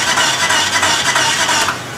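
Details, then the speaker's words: Chrysler PT Cruiser that cranks but won't start: the starter spins the engine unusually fast and light with no compression resistance; suspected broken timing belt. "as you can hear it's a completely different sound it's it's basically spin over faster than it should"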